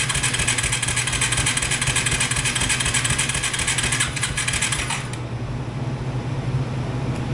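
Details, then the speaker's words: Yamaha 225DX three-wheeler on its original factory carburetor, cranked with a jump pack: the starter churns and the engine sputters briefly, then dies. The carburetor still has issues. "I'm going to say she still has some carburetor issues so we're going to dig back into that we'll bring you guys back and see if we can't get this thing to fire"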